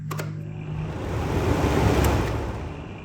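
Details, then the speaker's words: DeWalt DXF1616 16-inch drum fan before repair, speed 1 dead: switch clicks then running with a soft low whoosh that swells and settles, no rattle or grind; speeds 2 and 3 work normally. "Speed 2 seems to work just fine, and speed 3"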